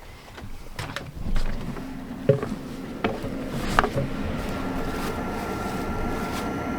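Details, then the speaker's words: Lakota horse trailer living-quarters RV furnace during dewinterizing, Dometic thermostat, fan on auto: sharp clicks as it lights, then even blower hum with faint steady tone; furnace firing and running normally. "Alright, now we'll let that run for just a few minutes to burn any bugs or anything out of the furnace."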